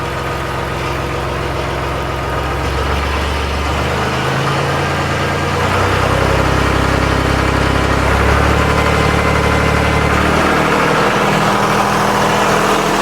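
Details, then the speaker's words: Massey Ferguson 240 diesel tractor, first start after an injector pump rebuild: steady idle clatter rises smoothly when throttled up, settles back evenly, then fuel is shut off. Normal throttle response. "Okay, now hopefully the throttle works. Try and throttle it up."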